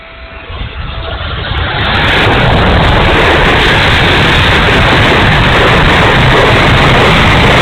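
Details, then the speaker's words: E-flite A-10 Thunderbolt II twin 64mm ducted fan, bad motor, run gently: spools up over two seconds to a loud steady roar with coarse gravelly edge and faint beat; motor sounds terrible, rough-running fan unit. "That motor sounds like a bag of shit."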